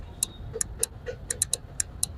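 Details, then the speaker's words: Honda Activa BS6 scooter, starter switch wiring bypassed directly: sharp dry ticking clicks each time the self-start button is pressed, about nine in two and a half seconds, but no cranking; relay activates, starter never turns; brake and starter switches ruled out. "ये जितनी बार self मार रहा हूँ उतनी बार टिक टिक आवाज़ आ रहा है, मतलब रिले एक्टिवेट हो रहा है, ये आवाज़ आ रहा है, ठीक है।"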